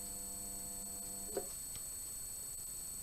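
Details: Restored old band saw blade welder, brazing a blade joint in about three seconds: steady low electrical hum with a faint buzz for about a second and a half, then a click as it cuts off. Normal transformer hum.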